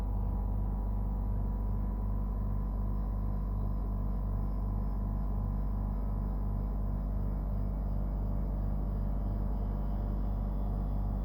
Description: This is the noise at start up and running of a brand new Dometic Freshjet 3200. The compressor and the unit is very noisy and far from would be noted as normal operation.